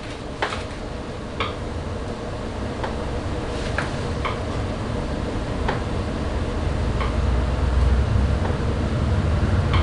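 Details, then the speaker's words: 2016 BMW R1200RS at 60,000 miles during standard service steering check, bars swung side to side: light sharp clicks at irregular intervals; steering damper clicking with its far end bolt loosened. "Oh, I see what it is. It's the steering damper. So I only let go one of the bolts, the far end bolt that I showed you, and it is making a little clicking noise."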